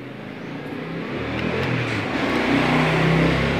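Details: Yamaha Xeon scooter with a vacuum carburetor that was very hard to start, after fitting a new vacuum part to replace a badly scored one: the small engine revs up smoothly and keeps climbing without stumbling or popping.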